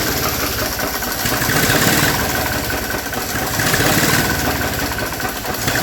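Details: 1961 Nuffield Universal 3 tractor after head gasket job, coolant added, restarted to check for cooling-system bubbles: steady low diesel chug at idle, even beat, no misses or knocks; no bubbles, engine healthy.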